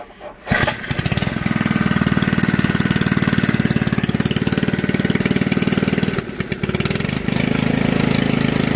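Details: Old junkyard Briggs from reel mower, bench-mounted, throttle set about one third above idle: runs with loud rattly clatter, stumbling briefly before settling; owner blames old recoil starter making racket, engine turning crabby.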